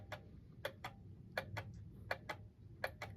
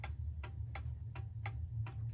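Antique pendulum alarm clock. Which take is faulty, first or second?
first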